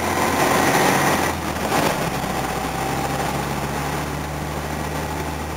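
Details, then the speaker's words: Volvo at idle with the air con on. Idle stumbles roughly three to four times a second with uneven beats, a small misfire not tied to one cylinder, later traced to a loose injector earth. "so I think it's much better than it was it's got this annoying little misfire I got to find not on one cylinder"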